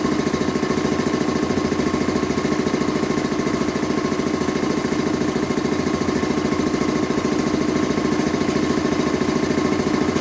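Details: Rebuilt Quincy 325 air compressor on its first test run after head and valve rebuild, with discharge and unloader control lines hooked up, pumping up the tank: steady, even thumping at about 3.5 beats per second, constant pitch, no knocks. Normal, healthy running.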